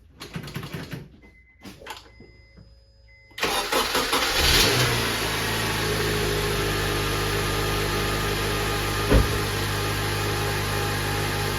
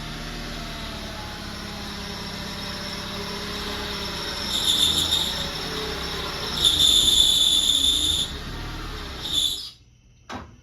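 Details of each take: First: 2007 Honda Accord, K24 engine, manual, first start after clutch and throwout bearing replacement: engine catches and settles into an even idle; the earlier whirring bearing noise is gone, no grinding from the bellhousing; healthy. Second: 2007 Honda Accord, K24 engine, manual transmission, running before clutch replacement: thin high squeal coming and going in bursts over a quiet engine, from a bad clutch throwout bearing, later found to be the real issue.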